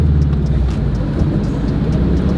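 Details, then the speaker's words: 2004 Subaru WRX STI limping home after a hump, speedometer dead: loud low steady drone, engine spinning without pulling, something physically popped; a broken CV axle is blamed. "Something is very broken. Something is very broken. Well, something physically popped."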